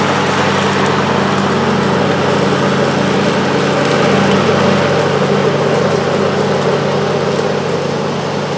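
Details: John Deere LA135 42-inch deck after a rebuild with new blades, belt, pulleys and spindles (it previously whined badly when engaged): a steady, even whir with no grinding, squeal or knock, healthy.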